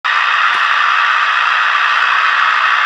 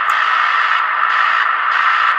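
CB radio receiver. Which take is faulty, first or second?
first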